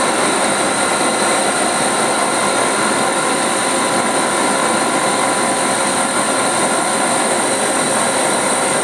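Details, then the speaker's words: CNC machining centre spindle in second gear, which is a bit louder than first. A steady, even high whir with no knocks, rattles or grinding; the spindle and gearbox run normally. "this is all uh on second gear second gear is a little bit louder than the first one it's all okay"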